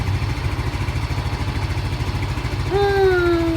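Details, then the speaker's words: Yamaha Mio M3 scooter after fixing code 46 charging fault, battery charged and MIL off: a steady single-cylinder putter at about three beats a second, even and unlabored, with a brief high whistle near the end. Normal idle. "Dah kita ke starter langsung nyala enteng banget karena Akhirnya sudah ngisi ya"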